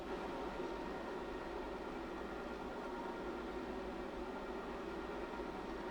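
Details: Chocovision Revolation X3210 chocolate temperer melting dark chocolate: once it reaches 85°F the bowl rotates, giving a steady, even low motor hum with a soft whir and no knocks or scraping, while heating toward 108°F. Normal bowl drive.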